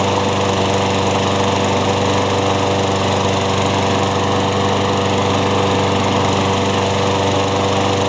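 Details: Craftsman mower after new piston rings and a replaced blade adapter: steady, even drone at constant speed with no knocks, wobble or vibration rhythm; engine and blade run smoothly, no longer burning oil.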